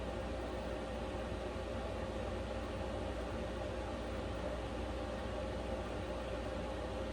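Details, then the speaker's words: Vevor Chinese diesel heater fan at setting H4, run in an uninsulated small camper: steady, even fan rush with no pulsing, speeding up slightly per level and nearly drowning out the fuel pump clicking; normal blower operation. "Fan is clearly accelerating a little bit. Okay. At least in my application, with a fan that kicked up just a hair more, it just kicks up a hair more each time."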